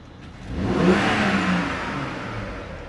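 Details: BMW F01 740Li twin-turbo petrol with intermittent misfire and suspected injector problem, engine at about 70°C: single quick rev that climbs and settles back smoothly with no hesitation or popping; normal revving.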